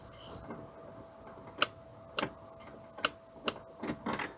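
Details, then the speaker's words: VW Scirocco Mk2 with a Pierburg 2E2 carburettor: sharp metallic clicks from the idle stabilization valve as the ignition key is turned on, showing it is powered and working while the TTV heater circuit is faulty. "the idle stabilization valve is working you can hear it click"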